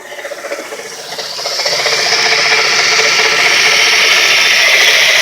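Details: Worn bearings in a two-year-old 130 amp alternator with 20k miles: a fast, steady mechanical rattle over the running engine, progressively worse, at its worst here. Crank pulley and tensioner first suspected but cleared; alternator replaced.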